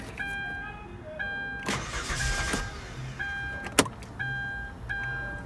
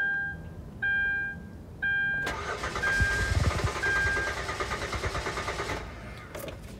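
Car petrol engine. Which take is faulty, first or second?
second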